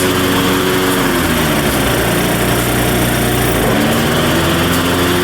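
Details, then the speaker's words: Craftsman LT1500 riding mower, blades just refitted: steady slightly fast idle, even drone, no dips; idle sounds high, governor nut appears previously turned, owner checks governor adjustment. "all right so the idle sounds a little high to me and it kind of looks like there's some spots on this nut that kind of looks like it's been turned before so I'm going to see if it's in the right position"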